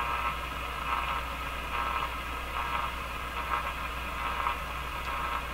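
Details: General Electric KL-70 AM/SW radio, broadcast band dead: only steady even hiss with faint low hum, no signal-generator tone getting through; capacitors previously installed wrongly during earlier repair suspected, being checked at tube pin 4.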